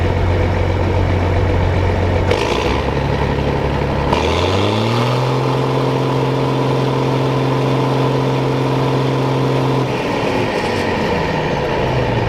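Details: John Deere combine diesel engine warming up on a hot day; idles evenly, steps up to a steadier higher speed, then drops back, with no knocks or misses; normal idle.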